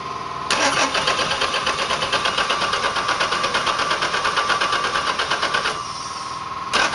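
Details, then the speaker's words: Chevrolet 4.3 V6 in a Land Rover Series II 109, not run for years, bores oiled, fuel poured into each bank, header off: fast, even cranking for about five seconds with no fire; distributor wired counterclockwise instead of clockwise; plugs possibly oil-fouled. "Okay, distributor wired wrong. It needs to be clockwise, not counterclockwise."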